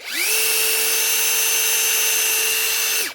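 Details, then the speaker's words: Metabo SSD 18 LTX 200 BL 18V impact driver after a faulty gearbox repair, tested on a fresh battery: a clean, steady high whine spins up quickly, holds and winds down smoothly, with a normal free run and better speed. "Oh, look at that. Much better."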